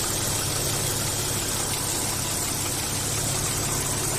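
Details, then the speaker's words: Audi A4 V6 with oil pressure warning light and earlier engine knocking, after repair: idles smooth and even with a steady hum, no knocking or tapping as heard at first; engine running normally. "ahí como podemos Escuchar ya el motor está funcionando totalmente normal suavito no hay no hay golpes como se escuchaba al principio"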